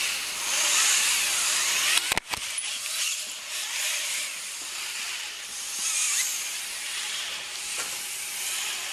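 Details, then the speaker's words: Commercial off-the-shelf servo motors with built-in gears in a humanoid robot: harsh, high buzzing whir swelling and fading as motors drive; loud gear noise. "but his use of gears produces very loud robotics, which I don't like, and I'm using one of these videos of his which really shows how loud and obnoxious all those noises are."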